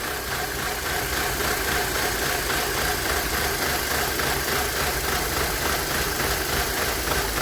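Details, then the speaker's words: Car at idle barely running and shaking: busy uneven pulsing idle at three to four beats a second; spraying cleaner at PCV valve smooths idle, shaking returns when dry; vacuum leak misfire at PCV valve, replaced. "listen to that barely running shaking so i pull that cover off if you think there's a vacuum leak spray some carb cleaner around the uh backing hose as a pcv valve stuff like that and we'll see if it'll idle up or fix a mist"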